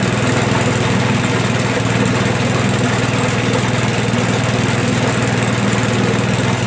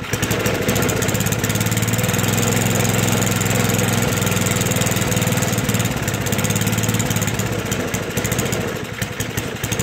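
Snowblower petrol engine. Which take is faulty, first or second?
second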